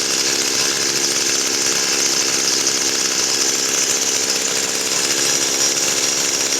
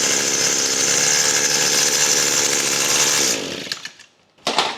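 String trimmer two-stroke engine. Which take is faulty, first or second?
first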